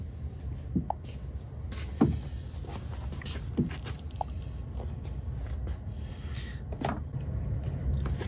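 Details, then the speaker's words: Petrol V6 with a cylinder 3 misfire code, cranking steadily without firing (ignition or fuel disabled) for a relative compression test; the even, unbroken rhythm shows balanced compression peaks and likely no compression issue. "so each Peak is a compression stroke so right now basically you're looking for a difference between them and so these are all looking pretty good which means that this car in all likelihood does not have a compression issue"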